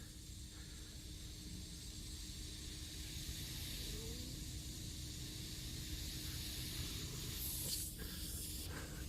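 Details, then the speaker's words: Hyster forklift hydraulic cylinder held at 140 psi shop air: continuous airy hiss over low rumble, bubbles and the change in sound pinpointing the crack and showing whether more gouging is needed, before welding repair. "not only do you see the bubbles, but you can hear the change in sound from the air. And that's how you identify where exactly the crack is and if you got to keep gouging."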